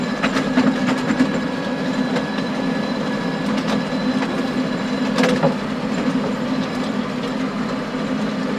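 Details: Stones hitting the power harrow tines behind a John Deere 6920 tractor working under load, bogging in very wet conditions, sharp irregular clacks and bangs over a steady engine drone.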